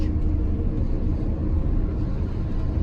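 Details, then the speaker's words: GM 4104 bus on a road test after transmission swap for a bad bevel gear, new clutch and rear main seal: steady low road rumble at cruise, no whine or gear howl; about 90% quieter, transmission normal. "well I can tell you the ride in here is 90% quieter yeah it'd be roaring right now"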